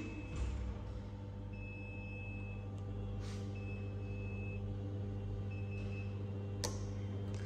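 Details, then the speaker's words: Motorized vertical blind, with up and down held while mains power is cut and restored: five long, high beeps in a row over a low hum confirm the remote memory was erased. "bip et cinq fois d'affilée ce qui veut dire que ceci est bon"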